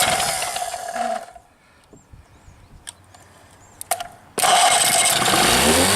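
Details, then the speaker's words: Rebuilt 1963/64 Evinrude 40 hp two-stroke outboard on its first start after choking, fuel mixed rich: a high buzz drops out briefly, then fires back and holds steady. It is pumping cooling water, so running is normal. "Oh, it's running. Yeah, she's peeing water, good."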